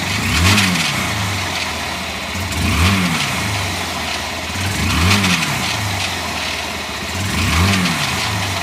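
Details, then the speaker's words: Honda CG Fan 150 motorcycle, engine cold, blipped about every two seconds: rough whirring that rises with each rev, owner suspects a bearing noise inside the engine. "Bom dia pessoal vou mostrar para vocês um barulho aqui no motor da 150 ela tá fria barulho estranho parecendo ser barulho de rolamento só quando acelera aumenta"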